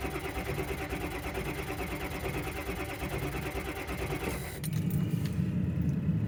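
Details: Ford F350 just collected from a Ford dealer, cranked at home: slow rhythmic starter cranking around ninety beats a minute that never catches; engine turns over without firing, no start.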